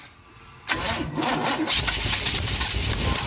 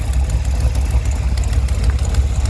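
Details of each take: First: 1971 Chevy Cheyenne, factory 454 big block, first start on Jegs Bandit EFI, rear jacked up, fuel pressure present: short crank then loud even roar settling down; starts cleanly with no misses, cam break-in next. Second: 1971 Chevrolet Cheyenne, factory big-block 454 V8 on Jegs Bandit EFI, first start, cam believed broken in, rear jacked up; lumpy idle with sharp puffing ticks in step with firing pulses. Header leak at number two cylinder.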